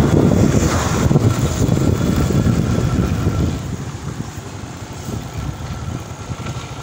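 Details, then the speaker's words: Honda XRM110 road test after replacing damaged second gear: small single revs and eases off smoothly, no whine or helicopter-like drone from the gears; transmission normal. "so yan mga Dias okay na at nawala na yung kanyang ingay yung dating tunog niyo makas sa Pakinggan niyo"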